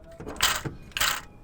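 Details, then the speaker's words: Belt tensioner/idler pulley on a Renault Sport van, spun by hand: a gritty, rasping whirr comes in bursts with each spin. The pulley bearing is worn and noisy and needs replacing. "So if this one here, so this is a tensioner pulley, lovely and"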